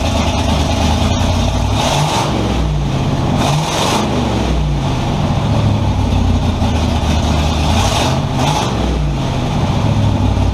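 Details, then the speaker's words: Model A with 350 small-block V8, hydraulic roller cam, twin Edelbrock 600 cfm carbs on tunnel ram, during tuning: deep rumble picks up quickly on each throttle blip without bogging, where before it sat there; idle mixture still needs tuning; normal throttle response. "well that definitely seemed to improve it over what it was doing before before when i hit it it would just sit there"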